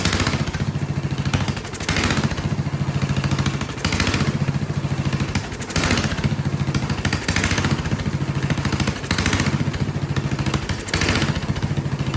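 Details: Vintage Kohler motorhome generator, big flathead engine (guessed 400–500 cc), first start on gravity-fed carburetor with choke shut: speed rises and falls in slow waves about every two seconds, surging violently; owner suspects dirty carburetor jets or poor fuel delivery.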